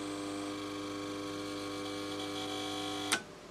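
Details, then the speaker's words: Mains-powered electronic unit with all indicators lit: steady, buzzy low hum with a rich overtone whine, ending abruptly with a click at switch-off; loud mains hum, suspected shorting transformer or power supply fault, not confirmed. "that sounds like a shorter transformer almost well Sammy's shorting out best for a spice Pickering you see the sky all the indicators are on yeah she ain't happy let's our power supply faults"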